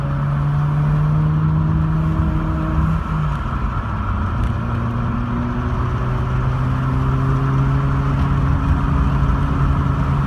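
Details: Mazda RX-8 rotary engine at idle with a misfire: the idle wavers and stumbles with irregular dips and pitch wobble instead of a smooth hum.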